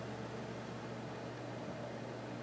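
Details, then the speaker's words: Sony HST-221 cassette deck after new drive belts, playing a cassette: quiet, even mechanical run with low steady hum, no flutter, catches or squeal; transport running normally. "sounds like it's moving correctly"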